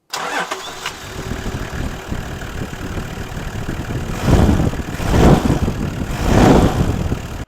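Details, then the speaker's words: Toyota engine after tightening a loose, slipping accessory V-belt: starts quickly and settles into an even idle with no belt squeal. "now we're going to go ahead and start it back up we are hope I didn't have to build my cap in there but anyway we're going to start it back up and make sure that there's no squeal and uh that's the end of the job"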